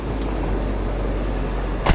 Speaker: it actually runs great 106 000 miles on the odometer engine sounds healthy